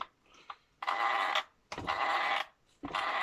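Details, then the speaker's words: Kyosho Mad Van brushless RC car, driven gently after a first breakage and reassembly to check nothing cracks: three short bursts of high electric whine spinning up cleanly with no clicking or grinding; drivetrain running normally. "ap on est reparti voilà on revanche tout va bien"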